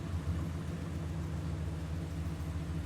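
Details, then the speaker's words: Ram truck with check engine light revved under load, possibly power-braked: deep V8 rumble with uneven, lumpy beat from misfiring cylinder six plus an exhaust leak, likely broken manifold bolts; suspected, not confirmed. "and also has an exhaust leaks too most likely the the manifold bolts broke you hear it"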